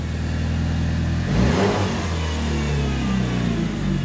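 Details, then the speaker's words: Mitsubishi Evo 8 turbo four-cylinder, refueled fresh after draining bad fuel, wheels off; smooth deep idle rising into a clean rev and settling back, no rasp, ticking or leak hiss; healthy exhaust, manifold not leaking. "you know we could put the wheels on you can go out and drive it yeah I thought it was going to be all raspy no it sounds pretty decent"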